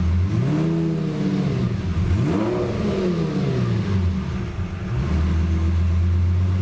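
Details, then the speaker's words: Self-tuned Lamborghini, still in limp mode: a throttle blip that used to make it die on let-off, now it drops to about 500 rpm and creeps back up into a steady idle without stalling; normal for just starting up. "so goes down to around 500 rpm and then then just kind of creeps back up and that's sort of normal especially for for just starting up this is this is pretty good"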